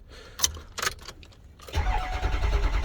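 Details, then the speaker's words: 2005 Ford F-250 6.0 diesel with an intermittent crank-no-start: steady cranking at about three turns a second without catching; code P2614 present; cam position sensor being replaced. "So as you can see, it's not starting. And then sometimes it will start, sometimes it won't."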